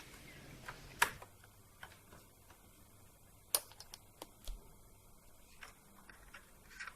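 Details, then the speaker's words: Faulty laptop SATA hard disk removed and connected via SATA-to-USB adapter: quiet room, sharp uneven tick every couple of seconds as drive tries to spin up; mechanical click of death, drive needs replacing. "now since this hard disk is faulty we should be able to hear clicking noise just listen carefully now you can hear a sound so it's time to replace the hard disk"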